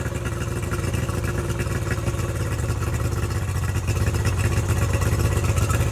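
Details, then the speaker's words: Tohatsu 50 hp (M50D) two-stroke outboard on Addictor Bambino 333, with swapped carburetors, idle adjusted down from about 1200 to about 1050 rpm; steady, even burble with no hunting; normal idle. "That's about 1050 right there. That sounds a lot better, because once it's in the water and in gear, it'll be around 950, and any lower than that it'll shake, and I like to have it kind of smooth."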